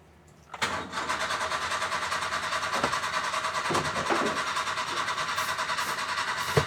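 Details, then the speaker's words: Old Cushman mini truck being revived after sitting, in 105°F Mississippi heat. The starter spins it in an even chug, about 3–4 turns a second, but it never fires even with ether. Owner suspects no spark; unconfirmed. "Yeah, it's not getting fire or something. It ain't getting no fire. The ether should have caught."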